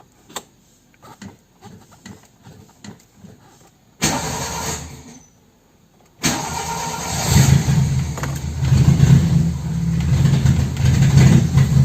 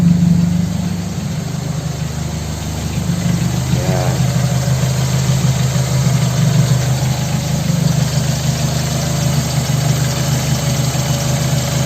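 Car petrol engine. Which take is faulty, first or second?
first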